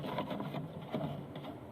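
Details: Singer Starlet 6680 sewing machine stitching after cleaning and oiling: soft, even stitching patter with no grinding or knocking; normal quiet running.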